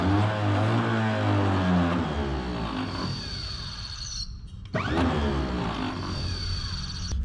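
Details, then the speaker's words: 1934 Chevrolet farm truck sitting for decades, first start attempt: starter whirs freely, winds down, spins up again without turning engine; owner suspects mouse urine rusted the Bendix so it won't engage the flywheel ring gear; starter Bendix not engaging. "the starter and uh it rusts it and then the bendex don't click in and go kachunk and whammy against the teeth on the ring gear of the flywheel so I think that's what's happened"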